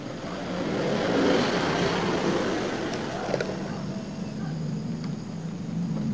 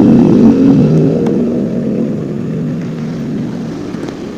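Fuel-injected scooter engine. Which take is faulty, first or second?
second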